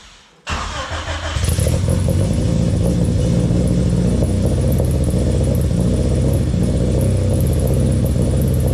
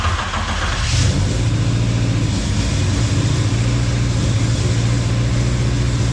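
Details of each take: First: Honda Civic, rebuilt engine, exhaust temporarily mocked up without heat shields: engine catches into a fast steady idle with a faint tinny rattle/ringing underneath; cause was the mid pipe left unconnected, since tightened, no leaks found. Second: Honda Civic, rebuilt engine, fired up again with everything connected to cure an exhaust leak: quick blip, then a low, even idle hum with no ticking or puffing; exhaust sealed, normal idle.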